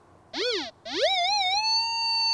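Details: Whites Goldmaster 24k metal detector with double-D coil in non-motion pinpoint mode, audio boost 2: a warbling tone swoops up and down as the coil passes from two angles, then settles into a steady high tone right over the target.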